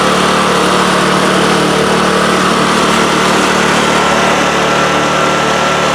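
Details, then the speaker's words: Craftsman snowblower after cleaning, lubricating the chains and readjusting the shift handle screws to fix missing 6th forward and slow reverse speeds, run through all speeds. Loud, steady drone with no misses, rattles or drive grinding. Normal running, all speeds work. "okay we got all six forward speeds and all both two of the reverse speed"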